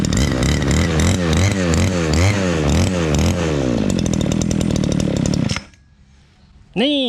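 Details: Two-stroke shoulder-slung brush cutter after fixing a no-start (fuel, spark, air filter and carburetor checked): small engine runs and revs up and down cleanly, picking up readily each time.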